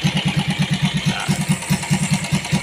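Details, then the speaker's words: Yamaha Vega R New standard engine fitted with an aftermarket CPO PE24 carburetor, only the idle and air screws adjusted. An even, steady low thump at a settled idle with no misses, knocks or hunting; the carb works normally. "Nyalakan mesinnya. Untuk kalian, idle ini berfungsi dan dapat disesuaikan secara manual oleh kami."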